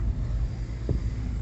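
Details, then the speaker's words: VW Voyage driving over a potholed road after fabric padding behind the panel; low road rumble and one dull thump over a pothole, no rattle from the door; noise fixed. "Oi aqui é um lugar bem Bora bastante buraco o que realmente o ouvido Parou de bater que maravilha"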